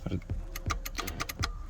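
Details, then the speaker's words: Nissan 200SX S13, driver's window dead, door panel off: sharp dry clicks from the window relay on button press with no motor hum; the motor was suspected, but the fault was a cracked solder joint on the relay's circuit board, fixed by resoldering. "when i press the button you can hear it clicking here on the relay"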